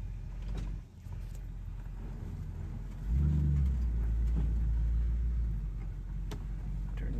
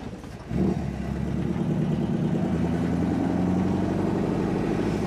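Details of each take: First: 1963 Chevrolet Impala SS with Powerglide on test drive after repair (previously bogged in gear): road rumble swelling to strong even growl as car pulls hard, no misfire; healthy under load. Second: 1963 Chevrolet Impala SS: revs fine in park/neutral but in gear picks up then hangs at low uneven drone, bogs and won't rev; owner ruling out fuel, fuel pump okay.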